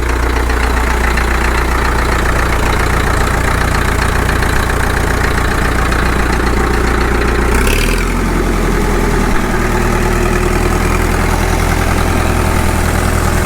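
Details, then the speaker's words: Caterpillar D2 (#5J1113) diesel at low idle on first start after full pony motor and diesel rebuilds: low thumping about 220 a minute, slightly uneven with occasional stumbles, likely air bubbles still working out of the fuel, smoothing over time. "intermittent pump from time to time it might just still be working a few little air bubbles out it seems like it is smoothing more all the time"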